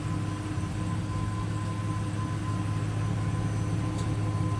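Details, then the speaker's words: 2008 Ford Ranger XLT 2WD 5-speed manual, 147K miles, no engine codes, exhaust at idle from the rear: low, steady rumble with an even beat, no puffing or ticking; very quiet, no exhaust leaks. "sauce is very quiet no exhaust leaks"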